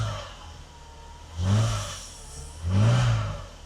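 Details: Mercedes W126 300SEL, low mileage, after fuel distributor repair (clogged filter, blocked pressure regulator valve), exhaust intact: smooth steady idle with two clean blips rising and settling evenly, no misfire, knock or exhaust tick; healthy.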